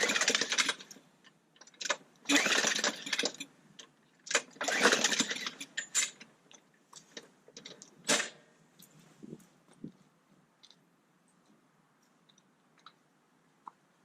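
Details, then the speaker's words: Trash-picked mower with gas containing flakes and a disconnected carburetor primer. Hard rope pulls give short rattling turnover bursts, but it never catches and won't start on its own. "Alright, so as you can see, it doesn't start on its own."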